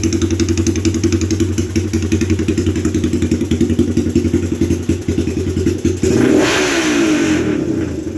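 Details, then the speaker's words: Honda ATC 200X single-cylinder with 389B Web cam from the Curtis Sparks head, 10.25 compression, PZ carb; loud, choppy, lumpy idle then a quick rev blip; healthy engine, normal idle with performance cam. "She's pretty wicked. That actually is the cam I got when I bought that Curtis Sparks head. That was physically in that head."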